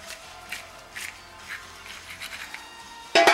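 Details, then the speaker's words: Old clutch throwout bearing from a 1986 Mustang GT, removed with the bellhousing during a T5 transmission install; faint dry scratching rasps about twice a second as the loose bearing is turned by hand, ending in a clunk. The bearing is shot and is being replaced with a heavier-duty one. "So this is shot, you can hear it."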